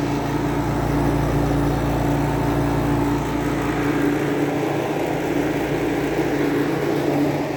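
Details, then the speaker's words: Climatroll air conditioner running: steady loud hum with constant tone over fan rush, no knocking; compressor too loud, compressor mounts suspected. "i think there's something going on with those compressor mounts the compressor should not be that loud"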